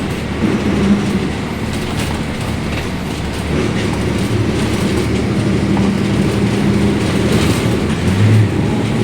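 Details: Caio Apache Vip 4 bus on Mercedes-Benz 1724L chassis: loud steady cabin roar with a low droning hum from the axle underneath throughout the run; differential suspected of whining very loudly.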